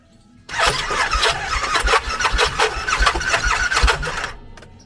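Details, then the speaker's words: Bennche Cowboy UTV that made an internal popping sound and stalled, fuel pump still coming on: steady, even cranking for about four seconds with no firing, sounds wrong; cranks but will not start, compression test next, cause unconfirmed. "yeah she she definitely doesn't sound right so all right time to get into her"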